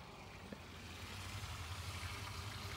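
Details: Oase Biomaster Thermo 250 external aquarium filter not restarting after weekly maintenance: steady low electrical hum with no flow, pump motor stalled by a clogged, sticking impeller; cleaning rather than a fault was the fix.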